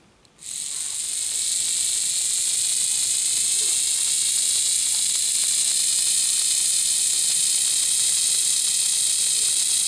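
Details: Lima Express Parcels van model motor with a 3D-printed replacement gear, run on battery at the rear contacts: constant high thin whine with faint fast ticking; new gear possibly rubbing on the back of the wheel, wheel may need easing out.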